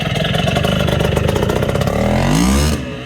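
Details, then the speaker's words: Bultaco Matador 350 big-bore two-stroke motorcycle in museum-quality condition: rapid even crackle builds into a smooth rising rev and drops back, a nice throaty growl; motor sounds strong and clean. "Has a nice throaty growl. What a beauty."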